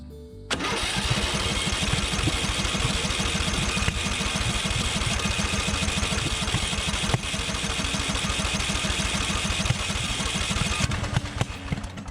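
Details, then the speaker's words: Murray 42-inch riding mower with a suspected ignition fault giving inconsistent spark, retried after cooling about 20 minutes: ten seconds of fast, even cranking with only faint occasional pops that never catch; engine flooded. "it's just very flooded okay i let it dry out a little bit taking the air filter cover off yeah this is very flooded"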